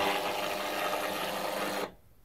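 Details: Electric roller shutter motor that lowers but won't raise: rough, strained buzzing hum under load that cuts out abruptly; start capacitor measured 0.4 µF instead of 4 µF, replacing it fixed the motor.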